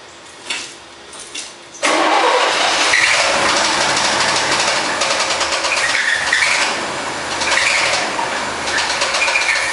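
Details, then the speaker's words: 1972 Corvette Stingray 350 V8, first start after being parked 2010–2013, started with starter fluid: cranks, catches, runs rough with hard uneven knocking like a rod slapping; spun front crank bearings later found, engine rebuilt. "restart it yeah how's and that kind of sounds like a connecting rod slapping to me"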